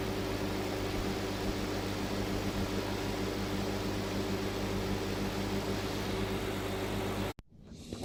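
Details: Roadside dumpster microwave found dead, opened up, dirt cleared and retested with a package inside: steady low electrical hum with a fan whir, even throughout until switched off; the oven runs normally.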